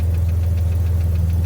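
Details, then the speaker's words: 1991 BMW E31 850i V12, still a little cold, idling: smooth deep hum with a light quick top-end tick about seven a second; suspected lifters or low oil, not yet checked. "But you can probably also hear it's got some top end tick. These are not unknown to have some issues with the lifters."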